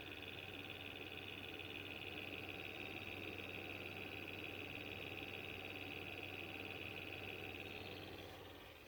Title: Xbox one S fan noise buzzing sound